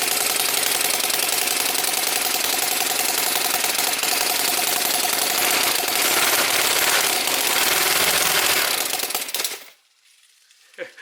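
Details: Small Whippet flathead model engine on a test stand with water pump running: quick, busy clatter at steady rate with faint pump whir until it cuts off; runs fine.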